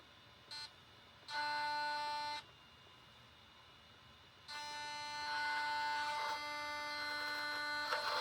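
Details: Brand new Taigen premium V3 gearbox in an RC tank: bursts of steady high electric buzz starting and stopping with the drive; cause unknown, owner hopes it's not motherboard or wiring.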